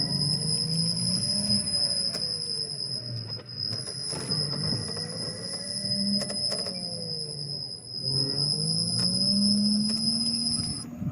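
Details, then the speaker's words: Ola S1X key-variant electric scooter, 3 kW hub motor, ridden at about 3–5 km/h; low wavering groan or vibration swells and fades every few seconds, intermittent, like an animal groaning: hub motor groans at low speed. "थोड़ा सा vibration की आवाज थी और vibration बार-बार सुनाया था। जैसे तीन से पांच पे जाती है।"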